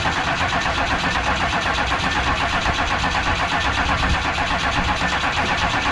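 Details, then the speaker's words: 1994 2500 diesel truck after a fuel filter change: steady cranking at about four turns a second with no firing, due to air in the fuel system. Cycling the key and cracking the hose fitting until fuel sprayed later got it restarted. "Right out of air in the system."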